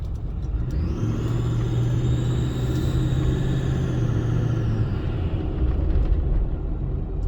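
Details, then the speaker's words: 6.4 Powerstroke diesel on the road: steady high whistle rises on throttle, loud from a stop, fades off pedal; poor low-speed acceleration, about 40 miles less per tank; owner suspects failed low-speed turbo. "I'm getting about 40 miles less mileage to my tank since this whistle began. It occurs really loud from a stop."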